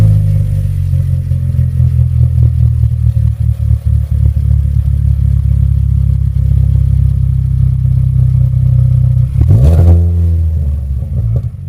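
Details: 2013 Hyundai Elantra GT with chambered muffler installed in place of a straight pipe: deep, even exhaust drone holding steady, then a quick blip of revs near the end; a smooth, healthy run.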